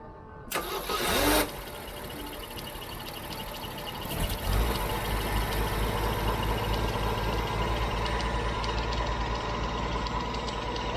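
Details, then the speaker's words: With the distributor reconnected, the engine started running only off a DBPOWER G57 2500A jump starter with the car battery disconnected: brief cranking, then it catches and settles into a steady, even idle with no misses. Normal start and idle. "They started it no problem. The car battery is still disconnected. I'm running completely off of the jump starter."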